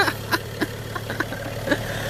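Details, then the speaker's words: 2011 BMW 335i E90 with N55 engine: steady low idle hum with only light clicks, no belt squeal or chirp, crankshaft pulley judged fine during belt and tensioner pulley replacement; sounds healthy. "but it looks good it sounds good"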